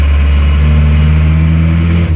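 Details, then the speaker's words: Isuzu Panther Miyabi diesel after an engine overhaul, driven under load while still cold and smoking: a hard, harsh low drone that lacks crispness, with less power and earlier black smoke. Injection pump timing is thought to be too advanced; the plan is to retard it to standard. "menurut saya timing bospomnya terlalu maju jadi malah tenaganya malah kurang dapat menurut saya nanti kita akan turunkan timingnya kita standarkan saja ini suaranya juga lebih kasar rangnya itu kurang renyah menurut saya jadi terlalu maju nya"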